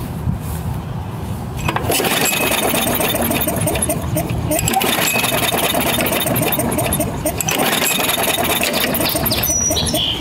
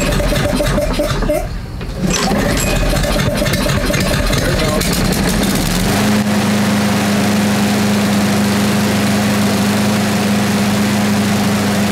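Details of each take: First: Craftsman 6.5 hp self-propelled mower, Briggs 190cc, ran rough then wouldn't start, smells of fuel: repeated rapid pull-cord cranking with no firing; cranks but won't start, plug or igniter (magneto) suspected, not confirmed. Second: Craftsman 6.5 hp self-propelled mower with a Briggs 190cc engine that ran rough and then wouldn't start, tested after carburetor and cable repair, bail held, no leaks: a few rough pulls catch, then a steady, even drone without surging or misses; it runs right.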